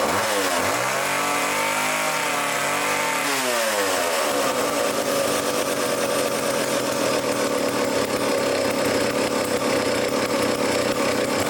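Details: Old vintage foreign chainsaw during revival: idle screw turned in with the air cleaner off. It revs up, then settles into a steady, even high buzz with no stumbling. Normal running.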